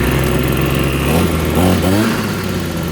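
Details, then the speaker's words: RedMax TRZ230S two-stroke string trimmer that was hard starting, running rough and leaking fuel, during carburetor adjustment after refuelling: holds a fast buzzing idle instead of settling; idle speed too high, jets still need adjusting. "Now the idle's too high. Okay, so I think the idle is correct, but the jets are not."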